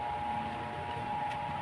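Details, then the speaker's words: Stand fan after replacing its worn, wobbly bushing, tested at speed two: quiet, steady hum with a clean, even tone and no rubbing or scraping; the earlier loud noise is gone. "Wala na. Wala na yung ingay. Okay. Okay. Wala ng ingay."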